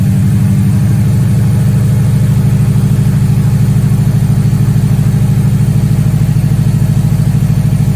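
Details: Subaru STI EJ engine after timing belt inspection prompted by bad bearing noises, car sat a month and a half; steady, even low idle with smooth regular pulse, no knocks, ticks or whine: running smooth, normal idle.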